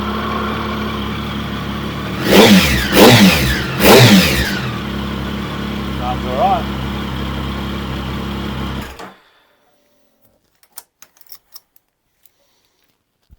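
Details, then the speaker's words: Triumph Sprint GT 1050 after service with fresh oil, new air filter and new GRmoto exhaust: three sharp throttle blips rise and fall cleanly over steady idle, no rattle or popping; exhaust sounds all right, normal revving. "Exhaust sounds all right."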